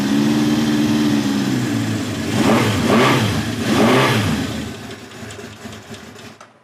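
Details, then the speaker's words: 1971 Honda CB750 K1, about 18,000 miles, original survivor, hard starting, needs carb work, not yet warmed up, choke off: uneven lumpy firing rising with throttle blips, then sagging and fading; won't hold idle, cause unconfirmed. "yeah it just does not want to idle um okay I'm going to turn the idle adjuster up a little bit see if we can get a title a little bit better"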